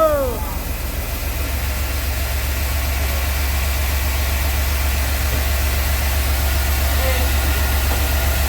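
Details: Steady, even idle with no misses or ticking from a 1997 Chevy Blazer 4.3 right after replacing the distributor cap and rotor, which fixed a sudden stall with no spark; running normally.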